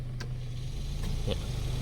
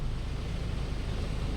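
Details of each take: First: Mitsubishi cabin blower motor on speed 1, original unit: a low steady fan hum with irregular dry scratchy ticks. The carbon brushes are scraping and the armature is worn, which cannot be repaired, so the motor needs replacing. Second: Mitsubishi e car cabin blower motor after replacement, on the lowest fan speed: a smooth, even low hum with no chirping or scraping, unlike the old motor whose brushes and armature were worn and squealed, so the blower is quiet and normal.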